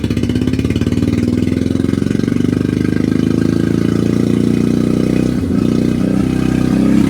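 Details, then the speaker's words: Autozam AZ-1 after clearing a clogged exhaust: lumpy, uneven idle with a loping beat and odd stumbles, running on only two cylinders; misfire traced to a bad distributor cap and ignition leads. "oh my God that sounds horrible yeah let me see I probably followed at least one plug too"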